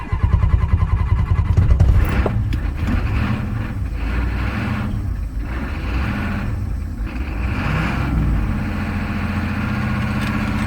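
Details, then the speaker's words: Ford 6.9 IDI diesel dump truck with a new high-torque gear-reduction starter, just fired on starting fluid: deep lumpy idle stumbling and surging; rough running, owner suspects air intrusion. "sounds like we've got some air intrusion too she fired"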